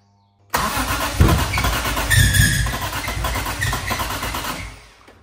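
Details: BMW E30 M3 with swapped S54 engine, first start attempt: starter cranks steadily about four seconds with no firing; injectors not firing because the 30A fuel injection fuse was blown, later replaced.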